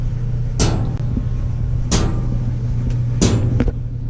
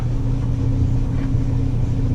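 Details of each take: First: Maytag LDE6914ACL dryer running with steady low hum and sharp knocks about every 1.3 seconds, tapping at the top: loose top panel, not drum rollers. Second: Maytag LDE6914ACL dryer after repair, running with wet towels: steady low rumble and even motor hum with no knocking; the thumping had come from loose panel screws, fixed by tightening them.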